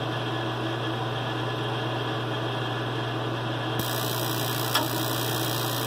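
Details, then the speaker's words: Mr Heater Big Maxx after fixing the pressure-sensor fault (three-blink code), thermostat calling for heat: a steady fan hum, then a soft change as the burners light and run smoothly; normal operation with the standard fast blink. "There we go, normal operation, standard fast blink."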